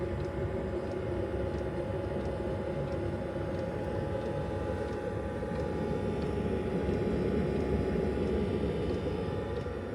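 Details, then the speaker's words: Planar diesel heater newly installed under a VW Transporter T6, being commissioned, recorded underneath beside it; steady combustion and fan roar with faint regular fuel pump tick, running normally at full power. "as you can hear that diesel heater is currently running and that's running at basically full power and uh it's currently just ticking away nicely there so this is how loud it is"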